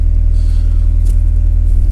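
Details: 1998-2002 Honda Accord after replacing failed fuel pump relay, warmed up a bit: steady low rumble with even quick pulse, no misses or stumbles; normal idle.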